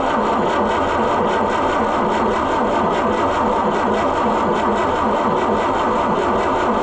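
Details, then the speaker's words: Oliver 550 diesel tractor that has likely sat a long time: it cranks with a steady, laboured churn and turns over strongly but never fires. The owner suspects a stuck injection pump and dry fuel lines. "Boy, it sounds like it wants to, but it just won't, you know. Doesn't it sound like it wants to start? But I'm just sure that that pump's probably stuck."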